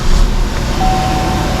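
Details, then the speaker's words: Chevrolet Sonic after water was removed and the spark plug cleaned: steady, smooth idle with no shaking; zero misfires on cylinders 1-3. "Ya no está temblando el motor para nada o sea se siente bastante estable"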